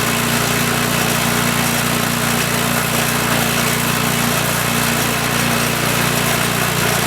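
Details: Troy-Bilt Storm 2840 28" snowblower (model 31AH64Q4711) with a Chinese-built 277cc OHV engine (about 8 hp); first pull-start of the season at full throttle. Loud, steady single-cylinder drone with an even firing beat and no misses or surging; normal running.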